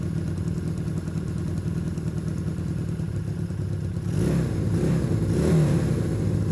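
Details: Long-sitting, previously seized Honda Benley "Baby Dream" motorcycle revived: steady even idle with clean throttle blips after the carburetors were cleaned and properly reassembled.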